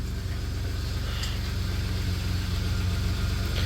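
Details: 1993 Dodge Caravan after head gasket repair, warming up with hood open: smooth steady low rumble, even beat, no misses, knocks or ticks; healthy idle.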